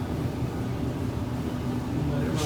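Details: LG DLEX5101V dryer after replacing the thermal fuse and high-temp thermostat, run on time dry at high heat. Even low rumble of the drum turning with no squeal, thump or scrape; it runs normally and heats again.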